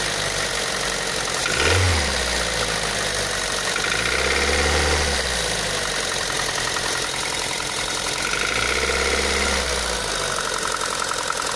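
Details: Daihatsu Pyzar engine knock: an uneven ticking knock rides over a rough idle and grows louder as revs rise briefly. Source not yet identified.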